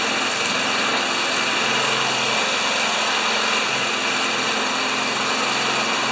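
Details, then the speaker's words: Old Tecumseh engine on a probably 1987 Craftsman Eager 1 mower, stored in a shed 20 years, after homemade repair: steady even high-speed buzz, no surging, misses or rattles; healthy, well-governed. "okay folks this is the the old tecumsehood that's out in the shed for 20 years let's see how she goes"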